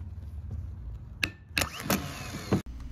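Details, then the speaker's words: Truck starter that only clicks: sharp metal taps on the starter body, then it whirs briefly and cuts out as power slips off, from worn internal brushes losing contact. "here's an example where I'm just tapping the body of the starter and it also starts all right so we've got power to the starter right now and it's not going"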